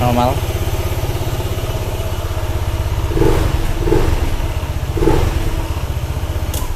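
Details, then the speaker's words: Honda ADV 160 started right after fitting a Ferrox aftermarket air filter, with the filter cover not yet closed. Steady, even idle with a pronounced breathy intake note, no misfire or knock: normal idle, the louder intake expected with the cover off. "wajar suaranya begitu karena belum ditutup covernya Oke sekarang kita tutup"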